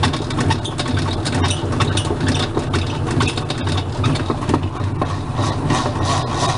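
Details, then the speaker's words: Whirlpool washing machine noisy during spin: steady low rumble with uneven knocking and rattling from the transmission, caused by worn plastic cams on the wash shaft not lifting enough when the pinion engages; worn washer transmission, part replaced. "típica falla de transmisión ese sonido es problema en la lengua plásticas y caneles de lavador cuando hace Piñón no lo levanta suficiente y produce ese sonido"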